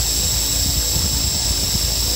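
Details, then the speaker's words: Toy RC helicopter converted from a brushed motor to a small brushless motor with an ESC and Flysky 2.4 GHz radio, at full throttle. A high motor whine with irregular rattling chatter; the drive gear lifted off the brushless motor at high speed. "would happen if increase the speed father well I think it couldn't handle that high speed because uh you can see this gear here just came up from the brushless motor"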